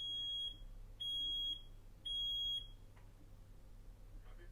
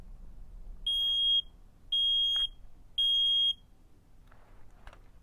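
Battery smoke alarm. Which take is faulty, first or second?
second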